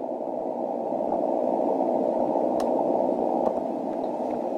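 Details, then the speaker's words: Steady hiss-like hash in the 160 m receive audio when the rotator cable is connected, gone when it is disconnected; about one S-unit of common-mode noise on the rotator lead, which toroid chokes are meant to eliminate. "now if I connect the wire here you'll hear the noise and I disconnect the wire and the noise goes away"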